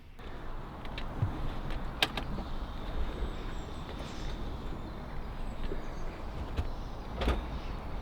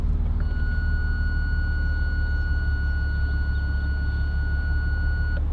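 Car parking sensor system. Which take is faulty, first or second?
second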